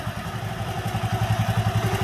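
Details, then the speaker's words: Honda Megapro single-cylinder engine fitted with a new GL Pro CDI timing chain, idling hot: even thumping with no loud chain rattle, unlike the old chain, which rattled loudly when hot; normal hot idle. "Dan untuk suaranya saya perbandingkan dengan yang awal tadi yang menggunakan rantai keteng lawas, ini tetap stabil, nggak ada gemercik yang terlalu keras saat mesin sudah panas."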